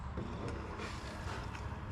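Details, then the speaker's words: 1994 truck's electric fuel lift pump, powered with the key on and the relay jumped: low, steady hum with no stutter, stopping when the key goes off; pump operating normally. "I don't if you hear that but pump turns on and it's on the key keys on right now so if I turn the key off pump goes off"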